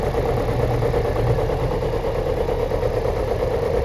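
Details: Chevrolet Celta engine at idle: loose, uneven tapping about three per second over a low hum; owner wonders whether catalytic converter or head gasket, cause not confirmed.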